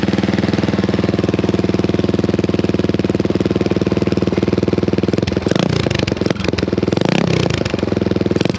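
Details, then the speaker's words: Honda XL175 single-cylinder with its old muffler, before replacement with an aftermarket muffler: sharp rapid popping idle with two throttle blips, a raw ear-piercing bark; the muffler does almost nothing. "hopefully it'll quiet her down a little bit uh she's she's pretty ear piercing you know it's just for uh for one lunger she uh she really gets the uh the decibels you know i'm saying"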